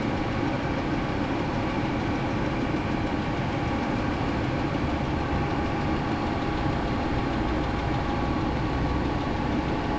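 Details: 2003 VW Passat 2.8 wagon after alternator replacement, idling with AC on high and headlights on, charging about 13 V instead of dropping to 11.8 V: steady even idle hum, no sag, whine or knock; normal.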